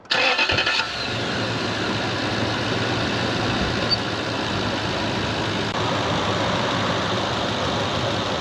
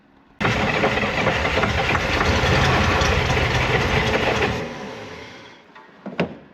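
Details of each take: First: The starter spins briefly and the V8 fires straight away, then settles into a steady, even idle with no grinding or misses; normal start and idle. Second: 1965 Corvair 110 hp engine after a starter replacement, pack-rat damage repairs and confirmed spark; about four seconds of rapid rhythmic cranking, then a lone cough; it wants to start but won't run, and the owner suspects the carburetors need cleaning.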